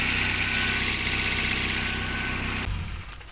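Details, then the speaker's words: Old ex-taxi Toyota Soluna, idle drops to low rpm by itself, slight characteristic tick noted as normal: smooth even idle about four pulses a second, no knocks or misses, then switched off; normal idle. "untuk suara mesin normal seperti sedia kala"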